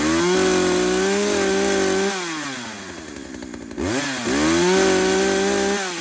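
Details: Poulan 2075C chainsaw (believed 32cc, 16-inch bar, old safety chain) after carb mod slotting splined adjuster knobs, test cut after cold start at about 15°F; strong steady buzz sags in cut, briefly drops, then recovers to full revs; runs normally.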